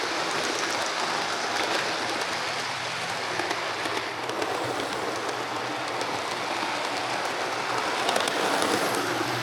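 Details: Hornby HST model power car running after service; one of the pair had its motor replaced and its bogie frames swapped. Steady hiss and whirr with no catches or stutters; both run okay now, normal running.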